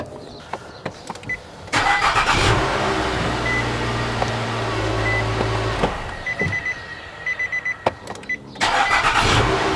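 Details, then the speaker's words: Car jump-started with a NexPow G17 jump starter and power bank reading about 16 V: booster beeps, then strong, even cranking and the engine fires, a normal healthy start. "so there you guys go guys this thing works amazingly"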